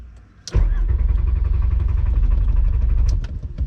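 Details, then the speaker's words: VR5 Savoy on its first drive, stalled and won't restart: starter churns about four beats a second for three seconds, almost catching but never firing; no fuel delivery, the fuel pump fuse had blown. "yeah it's almost starting it's close this is a horrible spot [Music] isn't going for me"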